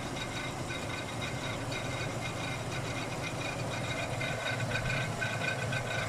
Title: Grinding noise Ford Ranger 2.3 1995